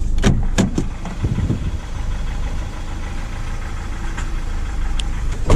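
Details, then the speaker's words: Fairly new Renault Master diesel van, 71 plate, in limp mode limited to about 12 mph, engine light on, turbo smoking and passing oil: steady idle rumble broken by sharp, irregular intermittent knocks; mechanic first suspects valve-related noise. "knocking some's knocking engine management lights gone out though [Applause] oh Su is not healthy sound like a valve Conta in or Su right guys"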